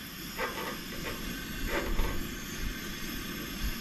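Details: Coleman camp stove gas burner, lit and now firing after another burner failed to light and may need cleaning: a soft, even roar and hiss with no sputtering or popping. The burner is running steadily and normally.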